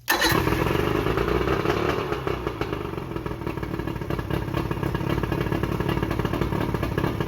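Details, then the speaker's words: Johnson short-shaft 40 hp outboard (believed 1987) on its first start after repairs, in a driveway with water flowing, a pinch of throttle and prime. It fires right up and runs with a steady, even two-stroke beat, no misses: a healthy motor. "Well, that fired right up."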